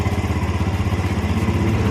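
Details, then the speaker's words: Small single-cylinder motorcycle engine (Vega/Jupiter/Mio type) idling after valve clearance adjustment and carburetor service: even, steady low thump with no valve clatter; normal smooth idle. "Nah untuk suara klepnya sudah bisa didengarkan"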